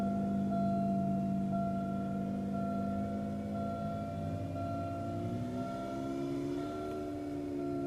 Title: Transmission problem noise when shifts to second 05 Buick Park Avenue